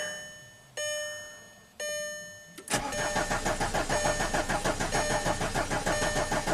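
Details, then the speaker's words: 2005 VW Passat TDI diesel, under 200k miles, crank no-start after a cylinder head and camshaft swap: two chimes, then steady cranking about three turns a second, no fire, no codes set. "It's cranking, not setting any codes, and you see the camshaft signature."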